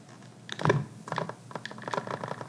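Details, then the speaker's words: Sony A7-series camera with IBIS (Steady Shot), powered off with the lens and battery removed, moved around: light, irregular clicking rattle of the floating stabilized sensor; this is normal and goes silent when powered on with IBIS enabled. "as you can see and here I hope the sound is back how do we get rid of it simply we we take remember original son the batteries we turn it on wait a sec we enable Ibis and completely silent so be aware of that don't panic"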